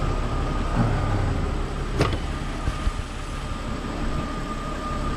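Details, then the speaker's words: Jeep Cherokee running on the old crankshaft position sensor (new sensors would not run it): steady idle, even hum, faint constant whine, no surging or misfire, a couple of stray clunks; normal idle. "All right, guys, this is what we got. The vehicle is running. It's running really good right now."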